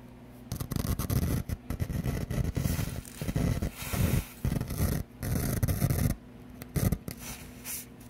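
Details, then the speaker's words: Pioneer SX-750 receiver under restoration, switched to phono with the volume up: bursts of low rumbling static in one channel that drop out abruptly; traced to the bad 4th (NPN) transistor, not replaced by the rebuild kit. "But if you flip it to phono, hear that? Noise coming out of that channel."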